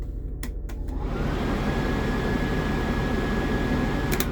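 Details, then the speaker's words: 2008 Blue Bird All American RE CNG school bus, driver's heater controls, main heat/defrost. After switch clicks the blower spins up to a steady, even rush of air with no rattle or squeal; normal blower fan operation. "Then we have the main heat. This is a defrost."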